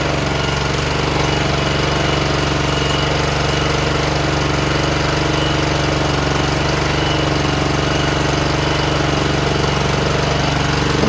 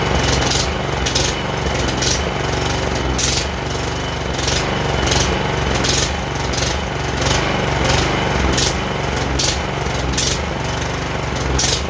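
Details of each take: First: John Deere JX85 commercial walk-behind mower, previously hard to start, after carburetor rebuild, clean fuel and a tightened air filter cover, started on full choke: holds a steady, even drone with no hunting or surging. Running normally. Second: John Deere JX85 commercial walk-behind mower, older, choke partly off: the engine surges with uneven throbbing and wavering speed. Suspected fuel-flow problem with a lean mixture, carburetor to be removed.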